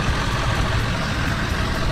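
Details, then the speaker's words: Duramax LB7 diesel at idle: rough constant whirring grind over the engine from a failing alternator bearing. "alternators going out so that's the loud bearing noise you hear"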